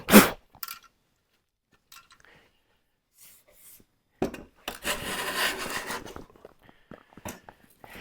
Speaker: Did you hear that chatter? That's that blade.